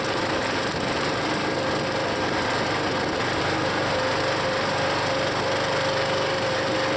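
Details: Used log splitter's small engine, long known as rough, before Seafoam: high, buzzy, uneven lumpy beat around four pulses a second, sagging under hydraulic load when the piston travels past a point; rough running under load, cause unknown to owner.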